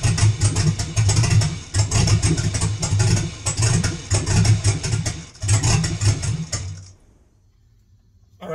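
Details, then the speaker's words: Truck with 4.8 LS, BTR NSR cam, FiTech intake, 799 heads, no exhaust, factory computer, check engine light on, no throttle: catches, surges about once a second, dies after about seven seconds; hunting idle, suspected too little idle fuel. "it almost made a fool out of me it did try and run there and you could hear it for a little bit trying to run trying to figure out what's going on you can see it hunting that was wor giving it no gas"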